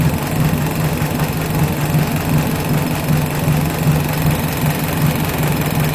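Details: 1983 Suzuki Jimny SJ410 with rebuilt stock F10A four-cylinder, Aisan carburetor, straight-pipe exhaust, after cold valve lash set to 0.10 mm intake and 0.15 mm exhaust: even, steady idle with a light uniform tick and no knocks or misses; healthy.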